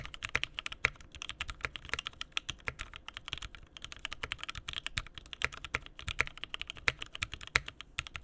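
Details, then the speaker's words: Mechanical keyboard rebuilt with a new POM plate and Mint switches, recorded close up: quick, crisp clacks of steady typing, each stroke clean with no rattle or ping afterward; normal, solid-sounding board. "awesome that sounds much much better awesome okay I feel much better about this board now"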